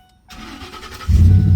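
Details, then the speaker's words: 2009 Ford F150 Lariat flex fuel 2WD after a cranks-but-won't-start fault: short crank then fires at once into a strong even idle, fixed by replacing a burnt 20 amp fuse in the engine compartment. "Started right up. No issues with it. Everything's running perfectly."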